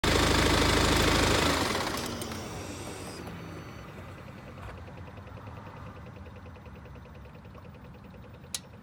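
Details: BMW 328d diesel after a long trip: engine shuts off, then sharp isolated clicks under the car about every 5 seconds, also at restart; owner thinks they sound like relays or valves, cause unconfirmed.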